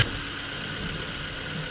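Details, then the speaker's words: Car engine started after a problem was worked on, with spark plugs involved: settles into a smooth, even idle with a steady low hum and no misses or knocks. It runs normally and appears fixed. "so it looks like it sounds like we fixed it so let's see what it's like on the drive home"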